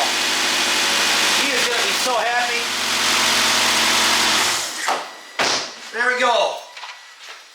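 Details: 2008 Nissan Altima 2.5 after ignition coil replacement, which fixed a misfire that put it in safe mode: steady, even idle with no stumble or skipped beats; normal idle, no longer missing.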